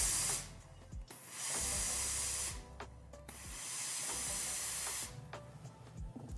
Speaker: The twice heated steam is first created in the boiler, then is heated a second time as it exits the plate. It's best to release the steam 3 times with Izzy Plus to avoid water droplets.